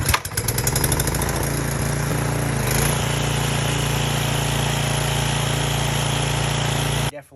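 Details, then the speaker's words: Toro mower, previously belt stayed loose and drive engaged late: engine dips and labours briefly as drive takes up, then pulls evenly; drive clutch now engages properly. "hear it engage a lot better so I think we fixed the problem uh before you couldn't hear you wouldn't feel it engage"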